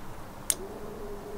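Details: 1998 Toyota Corolla E11 4E-FE with a push-start button being wired in; two sharp single clicks about a second apart with no cranking, the starter solenoid clicking from a flat battery.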